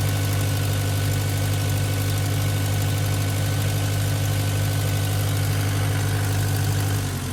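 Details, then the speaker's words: 1959 Case 300 tractor at full throttle with a steady, even drone, no knocks or misses, after generator rebuild; voltage drops to normal at full throttle but spikes to about 15 V at idle; normal running. "That's interesting. When you go full throttle with it, the voltage actually comes down to where it's supposed to be."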